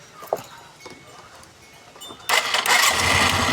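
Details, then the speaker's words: Skydrive 125 scooter after replacing the failed spark plug: quiet starter whir, then it catches on one push of the starter and settles into a steady, crisp idle; normal start, plug was the only problem. "one click one click umandar galing yan sa motor ko yung spark plug so spark plug lang problema sport flug lang ayos"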